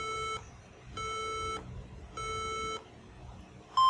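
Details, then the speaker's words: HP laptop at power-on giving a POST beep code of three long beeps then two short; could be malfunctioning RAM or power failure, first step unplugging the charger. "so we have uh so we have uh three long Bib and then two short bib now this bib could indicate different problems on the PC it could be as a result of a malfunctioning RAM"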